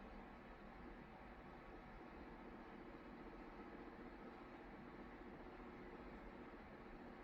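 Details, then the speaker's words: Amana/Whirlpool top-load washer in the rinse/spin calibration cycle after belt conditioner was applied: a low steady hum with no squeal, where before it squealed loudly. Normal quiet spin. "when I did this calibration test a minute ago that right there was squealing really [Music] loud and now it's silent that's what you want"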